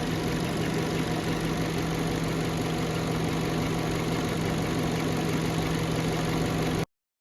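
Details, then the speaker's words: Warm 2011 Peugeot 207 petrol engine at 90°C, idling with a steady, even hum and no misfire or knock; the fan is running. The ECU has relearned its parameters after a fix for stalling, misfire and rough idle. Normal idle. "So normal ang idle. Ayan. Okay na yung kanyang idle tsaka yung temperature."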